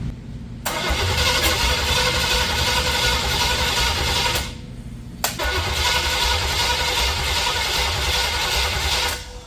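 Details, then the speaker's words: Junkyard-built 350 small-block Chevy with hydraulic flat-tappet cam and Vortec heads, in a 1984 Camaro Z28, first start: two bursts of cranking at about four turns a second, never catches; no spark because ignition power was wired to the tach. "Doesn't sound like it's getting sparked."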